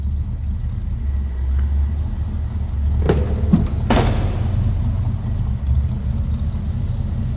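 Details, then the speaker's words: 1967 Ford Ranchero with a 289 V8 and aftermarket tach: deep, even burble at idle with a quick throttle blip, called a nice sounding V8; runs healthy. "Nice sounding V8."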